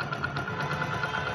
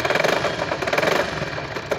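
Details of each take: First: 1999 Hero Honda Splendor Plus, after repair of a noise from the magnet side of the engine: single-cylinder settles to an even steady idle with light regular tick and no rubbing or scraping; engine now runs freely. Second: 1999 Hero Honda Splendor Plus motorcycle idling: rapid metallic clatter from the magneto side rising and falling with the engine; magneto rotor rubbing the stator plate, magnet cover opened for repair.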